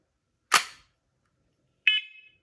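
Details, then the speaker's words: First Alert SC7010B hardwired smoke and carbon monoxide alarm after battery insertion: two brief sharp chirps about a second and a half apart in a quiet room; normal power-on sound. "and that's what it sounds like when you first power it on"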